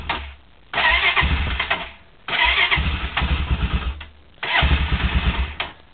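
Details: Honda quad (ATV) cold start: three cranking bursts of fast even chugging, each nearly catching then dying; cranks but won't start.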